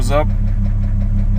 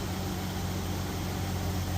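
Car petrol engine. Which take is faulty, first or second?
first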